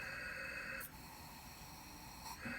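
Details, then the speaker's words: Diverter valve bench-tested under applied boost: faint hiss at about 10, clear hissing and thin whistle at about 15, varying with pressure; valve leaking slightly. "go to about 15 definitely got some of you know we can hear it hissing out of there"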